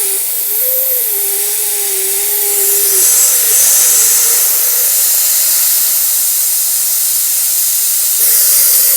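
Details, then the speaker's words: Lixiang with hum in wet weather at 130-140 km/h, air jet directed at the door rubber seal: loud hiss with a thin wavering tone near 500 Hz coming and going with the jet; door seal resonance, slight seal repositioning or tighter fit would stop it. "То есть ты понимаешь что даже если резинка будет чуть-чуть дальше или она будет наоборот плотнее этот звук пропадёт"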